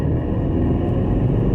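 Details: 2011 Maruti Suzuki Eeco in first gear around 40 km/h: deep, boomy rumble builds as it pulls, a coarse drone from the rear silencer that has grown louder over time; exhaust noise under acceleration.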